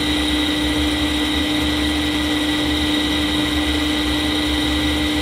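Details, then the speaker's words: Fujitsu M2294NU 14-inch Winchester hard disk from a Paintbox after power-up, suspected bad bearing: steady whir with constant hum and fan rush, no bearing screech or grinding; sounds fine. "Well, I hope you can hear me. It is fairly loud, but I'd say that sounds fine to me."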